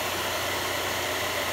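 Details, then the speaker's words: Air Venturi 4,500 psi high-pressure compressor on 120 V, water-cooled pump: just switched on, steady even airy whoosh of the cooling fan with no rattle, tick or pitch change; normal cooling fan operation. "Oh, there it goes. Yeah, it's running. You hear the fan. You hear the fan running."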